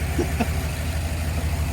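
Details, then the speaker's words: You can see it's a lot, I don't know if you guys can notice, but I notice it's a whole lot smoother. "You can see it's a lot, I don't know if you guys can notice, but I notice it's a whole lot smoother."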